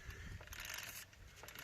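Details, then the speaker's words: Suzuki FZ50 moped, wheel turned by hand after an oil change: quiet, bright ratcheting clicks from a normal, freely spinning freewheel. "if i push the wheel around or pull it back even forward it free which it's supposed to"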